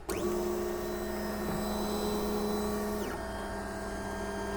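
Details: JGMaker Magic 3D printer, bed at 50 and nozzle at 200, printing from SD card after first-try leveling: smooth, steady stepper whine shifting pitch at each direction change, no knocks or skips; printing normally.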